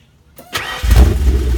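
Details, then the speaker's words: 1991 Lincoln Town Car 4.6L V8, likely over 200,000 miles, bad transmission: short crank, then catches cleanly and settles to a deep, even idle with no misses, running rich; normal engine start. "it sure sounds good"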